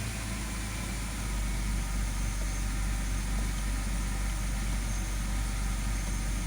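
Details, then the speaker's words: 2006 BMW 530i after replacing the number-five ignition coil for a P0305 misfire code: smooth, steady low idle with an even beat, no stumbles or shaking, firing cleanly on all cylinders; normal idle. "i could feel it right away it was misfire i don't feel that shaky there's no more"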